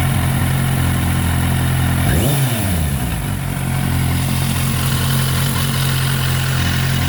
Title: Bruit moteur Z800